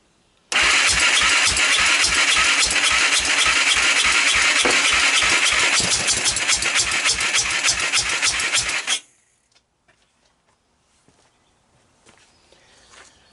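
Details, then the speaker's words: 1998 Honda TRX300EX ATV after a prior engine rebuild, air cleaner removed, fuel on: starter cranks about eight seconds at a fast even beat with no firing. Suspected flooded carburetor, to be pulled. Cranking, no start. "at this point this thing seems to be crazy flood it I'm gonna pull the carburetor off let's see what we could do with it"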